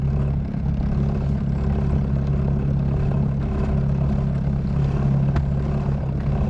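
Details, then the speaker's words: New bow-mount electric trolling motor on a 16 Lodge boat, holding course on autopilot while weight at the stern lifts the bow. Steady electric hum with a rough churning wash. The propeller is blowing out of the water (ventilating). "See now how it's blowing out of the water. You can hear it."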